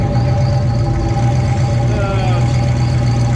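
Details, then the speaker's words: Ford Bronco idling in garage after fixing exhaust leak (loose flange bolt, manifold not cracked), tune running pretty rich: steady low even rumble, no ticking or puffing; healthy idle. "She's pretty rich, but that's where she likes to idle."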